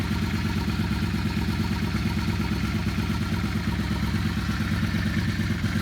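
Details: Yamaha Star 650 V-twin after carburetor rebuild, carbs being balanced by turning adjustment screw: low, slightly lumpy twin idle pulsing about twice a second, otherwise steady.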